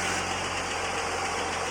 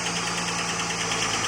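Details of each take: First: Holden VS Commodore L36 Ecotec ute after a camshaft replacement, with new oil and filter, at idle: steady, even running with no knock, tick or lope. The former lump is gone and it runs smooth. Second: Holden VS Commodore ute L36 Ecotec V6, first start after camshaft swap with fresh 5 L oil and new filter: light fast ticking over steady idle as lifters not yet filled with oil; later runs smooth, no lump. Lifter tick.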